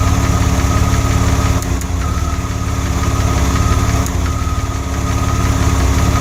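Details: DeLorean, during cooling system work: steady idle pulse with a couple of brief dips where the beat falters; an occasional misfire.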